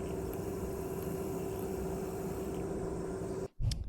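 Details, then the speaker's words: Used PS3 DualShock 3 (VX8) rumble motor, pulled from a faulty board and bench-tested on a battery as a replacement for a bad rumble. Faint, steady buzzing hum at an even pitch until cut off; it spins freely. Normal rumble motor operation. "seems to be working properly so I think this will be suitable as a replacement"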